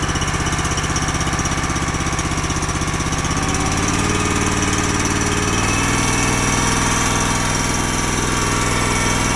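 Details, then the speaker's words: Honda GX240 with a Keihin carb on a hydraulic power unit that sits unused much of the year. Popping about four beats per second with uneven, hunting speed. Lean surge from a clogged pilot circuit suspected. "And when I looked at this the other day, it was surging like the pilot circuit was clogged up on it. It would clean up if you ran it with some choke, but it wouldn't run clean without some choke, and it really wouldn't idle well."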